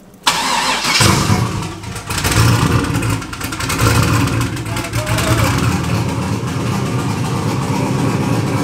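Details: Engine after Holley Terminator X Max ECU install and wiring fixes, first fire-up: cranks and catches within a second, revs briefly, then settles into a steady, fairly even idle; normal start and idle.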